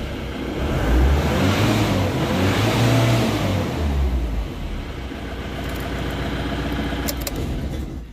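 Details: Mahindra Bolero diesel with low pickup after refuelling, tested with fuel lines fed from a bucket, tank bypassed: picks up cleanly, revs freely to nearly 4000 rpm, drops back smoothly; normal free revving, blockage at tank.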